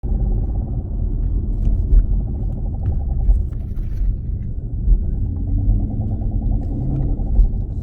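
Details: 2016 Dodge Challenger Scat Pack driving with a heavy, steady low rumble from under the car: a bad driveshaft carrier bearing.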